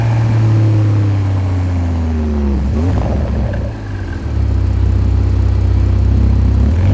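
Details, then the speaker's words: BMW M140i B58 engine first start after Pure800 Cast turbocharger install: starter catches, revs flare high, dip, then settle into a steady, even idle hum with low drone; normal start and idle. "So we're now going to start it up after all that work, and obviously it'll all be absolutely fine."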